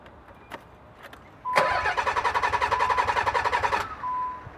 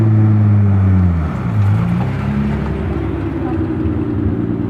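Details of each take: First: Nissan 300ZX, new fuel filter, fuel pump relay and PTU fitted without success: starter cranks about three and a half beats a second for two seconds with a chime, never firing; crank no start, fixed by replacing the failed fuel pump. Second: Nissan 300ZX after replacing the fuel pump with an Airtex unit: drive-by, steady even engine note dropping in pitch as it passes, exhaust pops; runs healthy with no misfire.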